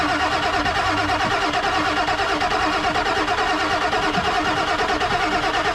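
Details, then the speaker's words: Non-running 1997 Ford F250 4x4 with 7.3L Powerstroke diesel: steady rhythmic starter churning, never catches or speeds up; cranks but won't start. Owner thinks it ran out of fuel; sensor, injector or high-pressure oil problem suspected, unconfirmed. "it out of fuel so okay but wouldn't it fire with it in the fuel bowl right there sure yeah it could be uh that could be a sensor or something injector related high pressure oil related"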